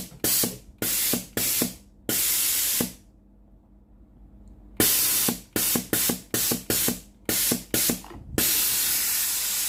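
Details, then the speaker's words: Philips GC9622 steam iron, solenoid water valve tested via a pipe connected at the valve outlet: about a dozen sharp, strong hissing steam bursts in ten seconds, clean starts and stops; steam exceeds the pipe length, valve normal. "If the machine is normal, the steam will exceed the length of the machine's steam pipe. If the test is like this, the water valve is normal."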